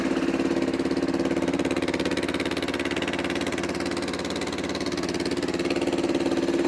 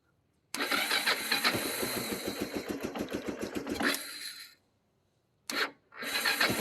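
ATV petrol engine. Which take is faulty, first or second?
second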